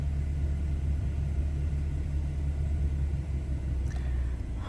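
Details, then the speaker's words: Warm BMW F30 (about 80-90°) during the onboard engine oil level measurement: the engine holds a slightly raised, smooth, steady low rumble with no knocks; normal. "And now it's going to start measuring. So that may take a little while. And also you will hear the engine rev up a little bit while it's doing it."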